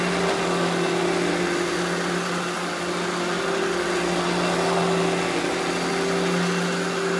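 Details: Eureka The Boss Smart Vac 4870 GZ upright vacuum with replaced belt, demo run; steady even motor hum, constant pitch, no rattles or surging; normal smooth running.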